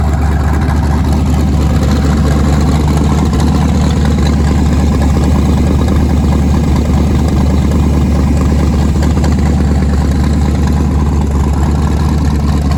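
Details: Nissan 240SX with twin-turbo LSX V8, first start after new turbo setup, out of gear, running on Holley Terminator X wizard base tune, fuel pressure not yet set: deep steady idle firing evenly, no stumble or misfire; normal idle.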